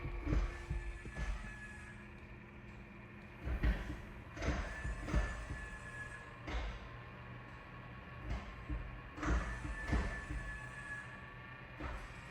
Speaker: And we'll push continue. And on this, you can hear the transmission actually shift gears.